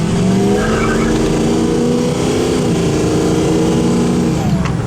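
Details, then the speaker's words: Ford 6.0 diesel truck after turbo cleaning, full-throttle launch from a stop: engine note climbs smoothly through the gears with tyres chirping, no turbo bark or surge, strong power, smooth shifts, no black smoke. "oh yeah holy crap this thing's got power now all right cool no barking shifts wonderfully and uh comes out of the whole like rocket ship no black smoke"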